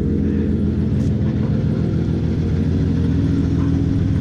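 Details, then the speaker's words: 1993–1998 Toyota Supra after a transmission swap and starter rebuild, driving under its own power through the gears; only a smooth exhaust drone with zero clutch chatter, though the clutch releases a bit high and needs adjustment. "hey you guys hear that exactly you don't hear nothing but the exhaust zero clutch chatter man the transmission feels really really nice super short"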